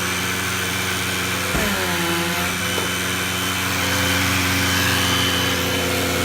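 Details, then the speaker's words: Bissell CleanView II Plus bagless 3576M 12-amp vacuum with power loss: high steady motor whine with hollow sucking rush and brief pitch wobble, air escaping past a fouled motor seal; vacuum air leak. "it now just makes this sad sound like like it's not really into doing its job anymore so I'm gonna try to figure out if there's some loss of vacuum"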